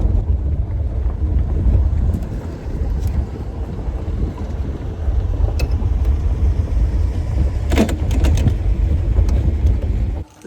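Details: 1949 Studebaker Champion driving after 20 years in storage, running on about five cylinders. Lumpy, uneven low chugging under way with road rumble behind it, reluctant to accelerate past about 40–45 mph; rough running.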